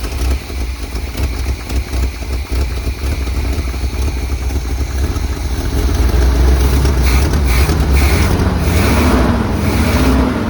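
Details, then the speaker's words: 1978 Chevy K20 4x4 Camper Special, after 13 years sitting and with Seafoam added: a lumpy, uneven idle with stumbles that improves slightly. Smoke from the crankcase shows blow-by, compression leaking past the piston rings. "good it does sound a little bit better doesn't it [Music] not great okay that's a bad sign"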